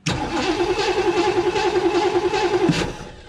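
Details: 1958 Chevy Biscayne after years of neglect, which gave no spark until the key was released: steady cranking at about 3.5 turns a second that never fires, while the porcelain resistor is checked at 11.4 V on top and 5.7 V at the bottom.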